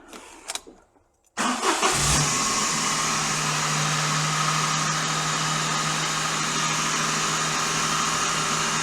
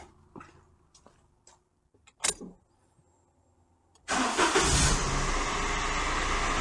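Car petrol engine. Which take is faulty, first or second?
first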